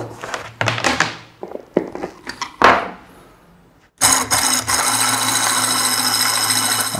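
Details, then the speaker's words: Manual round-disc fabric cutting machine. After some knocks the motor runs with a steady high hiss and scrape as the sharpener stone rubs constantly on the blade. The noise gets worse as the machine ages, and the sharpener needs adjusting. "ele fica encostado por isso que dá esse barulho estranho que às vezes perturba quanto mais velha a máquina vai ficando isso vai perturbando mais ainda"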